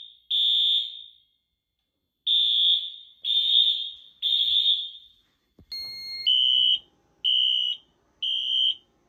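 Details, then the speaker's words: 2000s Wheelock AS/NS horns on a Fire-Lite MS-9200UDLS panel, set to temporal 3 with Wheelock sync. Shrill blasts about a second apart in sets of three, with a longer pause between sets. Temporal-3 evacuation signal. "system is on temporal 3 and it's using Wheelock sync so here we go"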